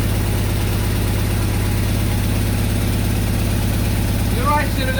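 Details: 1999 Mazda B2500 with junkyard 1999 Ford Ranger 2.5L engine, first start with ether, 10-inch glass pack exhaust: loud, deep, even burble at idle with no knocks or misses; idles fine.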